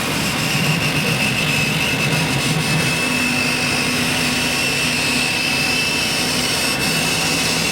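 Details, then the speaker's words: Thinklaser Lightblade 4060 60 W flatbed laser at about 17% power in high-frequency impact engraving zone, lenses correctly focused; steady high hiss with thin whistle on top; normal laser engraving. "now the interesting thing here is I'm right up at about 17% and you can hear that hissing noise that the cat is making that still the high-frequency impact engraving zone"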